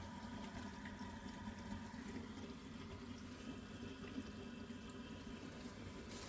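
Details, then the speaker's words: Worcester-Bosch boiler flashing fault code 229 (ignition-related), panel off, reset and attempting ignition: continuous watery gurgling and trickling over a low rumble as it tries to fire; condensate trap clogged, water backing up into the combustion chamber. "Right, it's making some sort of strange gurgling noises when it's trying to fire it up."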